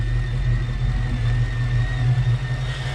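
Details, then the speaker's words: Mustang Cobra supercharged V8 idling after injector tuning, with air-fuel ratio dialed in under closed-loop O2 control: a steady, even low rumble with no misses or hunting; it returns to idle cleanly after revving. "You can hear her just idle just as nice as can be. No problems."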